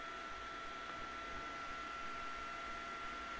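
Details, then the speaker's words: PCIe-powered graphics card with its power supply cable disconnected: the fan roars at full speed with a steady whine, and the system gives no beep and no POST because the graphics card is not detected. "I can tell you no beep will be sounded because it will not post. And what's the reason? It did not detect the graphics on the system, so it cannot post"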